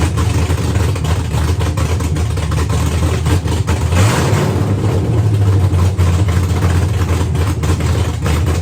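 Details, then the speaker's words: Custom V8 build at first start after rewriting the ECU program to remove the vehicle anti-theft system; run briefly indoors with no coolant, smoking heavily; deep, even rumble with clean rev rise and fall, no knocks or misses; normal running and revving. "Anyways, it's a beast, man. It really sounds pretty incredible."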